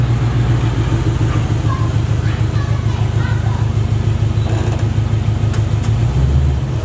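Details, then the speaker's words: Small-block V8 in a Box Chevy during a return build, with good oil pressure and no leaks: a steady, even low burble at idle with no misses, knocks or surging; a smooth healthy idle. "so we're gonna be running a whole lot smooth pretty much the best that I ever ran"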